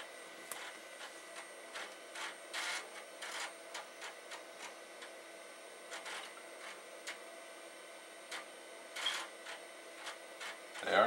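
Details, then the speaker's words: Amiga 2000HD floppy drives seeking in a quiet room: irregular bursts of clicking, buzzing and grinding chatter as the heads step; drive zero did not come up, a noisy seeking floppy drive. "I want to see ya my floppy drive that sounds gross it is right I'm gonna do this to the other one see what it does well they are grinding"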